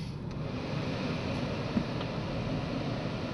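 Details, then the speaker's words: 2010 Dodge Journey after alternator replacement: steady, even idle with a low smooth hum and no whine on top; the old alternator's noise is gone, engine sounds normal. "And it sounds normal."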